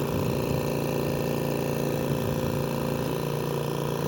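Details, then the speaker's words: AirSep/New Life Intensity 10 oxygen concentrator (10 L/min) on the bench: steady hum with a fast, uneven rattle three to four times a second from the compressor, suspected rubbing; current draw peaks 4.6–5.6. "escucha un ruido extraño el cuarto lo van a ver ahí ese traqueteo proviene del compresor"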